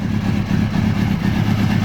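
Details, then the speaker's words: Kawasaki Ninja ZX-636 after repairing a melted fuel pump ground wire at its connector: steady, even engine note with firm low rumble, no misses or knocks, FI light on; normal idle. "the bike is up and running uh I guess that's a FI light fuel injection not really sure what that is but our bike is running"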